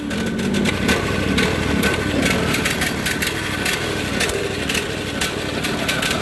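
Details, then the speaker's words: Briggs & Stratton overhead-valve engine on a 450-hour 4016 tractor; uneven, lumpy running with beat hunting and faltering under clatter, stumbling, smoking and choking off; rough running from an oil-soaked air filter. "so it's acting like it doesn't want to run it's stumble in the fall and it's smoking it chokes off"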